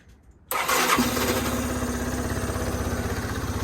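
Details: 2014 Yamaha Zuma 125 stored since 2017, first fire after the fuel pump was plumbed and fresh fuel added. It catches instantly after a short crank and settles into a quick, steady putter with no misses.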